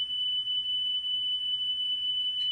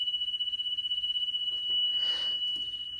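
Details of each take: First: Car stereo cassette deck after drive motor repair and speed adjustment: a clean, steady high test tone near three kilohertz holds dead even with no wavering; the tape runs at correct playback speed. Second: Car radio cassette deck with belts already replaced and the deck cleaned and lubricated. A high steady test tone wobbles about four times a second, intermittently, before a handling rustle. Massive tape speed flutter, blamed on the failing speed-regulated drive motor, which is to be repaired.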